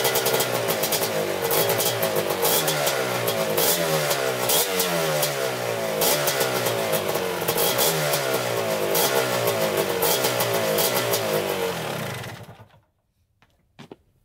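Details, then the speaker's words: 1987 Kawasaki Tecate 4 250cc quad, first start after engine rebuild on choke; fires on first kick, then revs crisply up and down with clean, even firing: normal start and revving. "Oh yeah, fire right up, first kick. So that's awesome."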